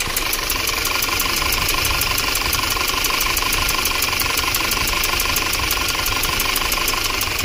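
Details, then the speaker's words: 2013 Audi Q5 2.0 misfiring with check engine light: fast, even ticking over a lumpy idle with a steady rhythmic stumble; one dead cylinder with no compression, later confirmed by borescope as a hole burnt through a valve. "there's a hole right through the valve right there look at that so that's why we have no compression"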